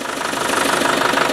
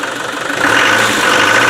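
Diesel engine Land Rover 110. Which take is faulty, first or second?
second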